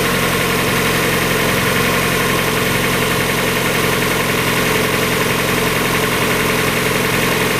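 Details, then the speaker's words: 1994 Mazda Miata, about 56,000 miles, after new timing belt, water pump, radiator, thermostat, hoses and seals: smooth, even four-cylinder idle, no knocks or ticks; sounds healthy. "I think sounds better than it's ever done before"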